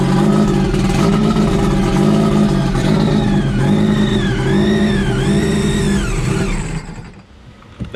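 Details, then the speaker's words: Sea-Doo RXP stage 3 build, just finished: the engine catches and settles into an even idle. Repeated blips bring a clean whine rising and falling with revs before shutdown. It runs healthy. "we just finished it up just got it running we got to do a couple a little bit more details but I want to get you guys here so you could see what it sounds like"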